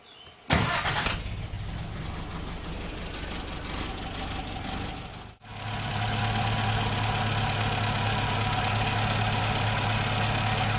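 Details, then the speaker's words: Triumph TR4A with twin HS6 carburetors, jets reset, balanced and Colortune-tuned to a blue flame: engine catches after a brief crank, then settles into a steady, even idle with no misses or knocks. "so you can see that it's blue now. This is just at idle."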